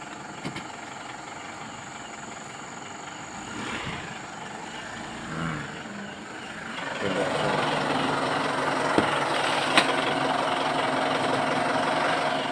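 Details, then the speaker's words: Mitsubishi Pajero on a forward test drive after reinstalling the propeller shaft cross joint that had squeaked like a rat when shifting into gear; the joint is judged not severe, with replacement planned once a part is found. Smooth drivetrain hum rising with speed, no squeak; normal propeller shaft operation. "Oke seperti itu teman-teman ini sangat terpaksa karena kita kesulitan ya nanti kita berikan Online lah yang penting untuk apa namanya kita pastikan aman ya belum kategori Parah"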